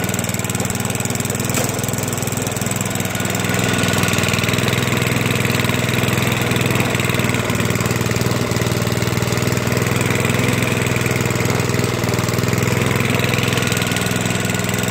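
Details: Toro 421 snowblower single-cylinder engine, cold start after at least two years unused, pull-started in a couple of pulls once fuel was turned on: steady, even idle with no misses, knocks or hunting; healthy.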